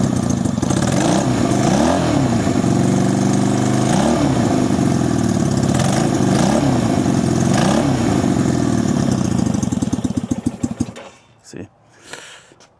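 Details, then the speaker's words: 1965 Honda CB160 161cc parallel-twin, being resurrected: lumpy, uneven idle that stumbles and surges then dies, stalls with a little gas; owner unsure if rich or lean, feels like one cylinder; one cylinder later found weak on compression. "So, it might be running a little rich if anything or it's not getting enough gas. I'm not sure. If I go to choke it, it'll probably stall. Yeah. See, feel like it's running on one cylinder almost, but"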